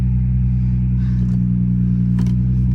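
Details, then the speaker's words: Car at auction, warming up after start, squeal gone, oil pressure and alternator gauges good: deep smooth steady idle hum with no squeal or rattle; normal idle. "Gauges look good, oil pressure looks good, alternator looks good."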